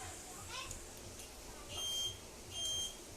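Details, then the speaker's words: 2013 Honda Beat with finished keyless remote install, ignition on and turn signal switched on: short high chirps about one per second in time with the indicator; keyless buzzer working normally. "Posisi motor saat di on akan mengeluarkan buzzer ya jika lampu sennya dinyalakan. Mantap ya."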